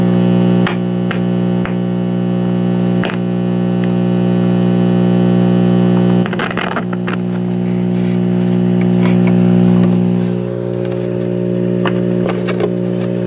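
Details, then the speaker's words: 1950s AA5 tube clock radio with Telechron clock, first power-up: loud, constant low mains hum with a few clicks from bad filter capacitors, possibly also a bad volume control; no station audio because an antenna wire is disconnected. "I've already plugged it in, so we have bad filter capacitors in it, and possibly a bad volume control."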